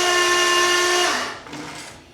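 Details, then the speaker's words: 1932 Ford Roadster with freshly swapped 335hp supercharged Ardun flathead, magneto off and fuel pump fuse pulled, cranked on the starter to prime oil: steady high starter whine, no firing, winding down; oil pressure reaching about 40 psi, normal cranking without ignition. "right the mag is shut off I pulled the fuse out of the fuel pump so the fuel pump's not going to be running crank this thing over and wait for some oil to pressure up"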